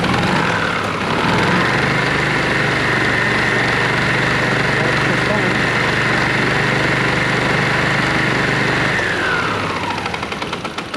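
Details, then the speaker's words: Yamaha TurfMate golf cart engine after sitting 5+ years, carburetor cleaned and fresh gas after pumping out stinky old fuel, started by throttle lever with no choke: small single-cylinder settles into a smooth steady putter, winds down evenly; runs clean. "It's pretty cool. Just pull on the throttle lever and it starts right up."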